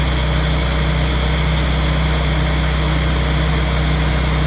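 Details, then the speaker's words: Morris Minor van with Judson supercharger, cold engine held on high idle to warm up: steady even fast idle with constant low hum, no knocks or misses; owner notes slight supercharger rattle and a vacuum leak near intake manifold. "I've got it on high idle way now because it's cold and uh just letting it get warmed up a little bit"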